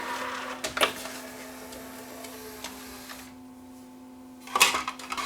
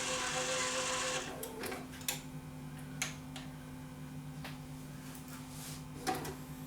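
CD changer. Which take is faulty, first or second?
second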